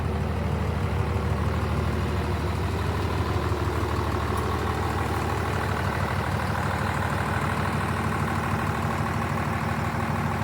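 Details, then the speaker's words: 12-valve Cummins diesel swapped into a 1967 Ford F100 idling: deep even clatter at low steady idle, no misses or knocks; judged to sound good. "Sounds good. It does sound good."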